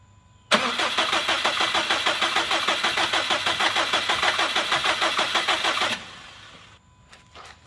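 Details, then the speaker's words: Freshly rebuilt 2017 Subaru STI on its first start with a base map, crank sensor plugged back in after cranking to build oil pressure. It fires with an even fast pulse for about five seconds, then dies and won't restart; fuel pressure was reading low. "hahaha so it fired didn't last very long died and uh then it sounds like it didn't want to do anything else"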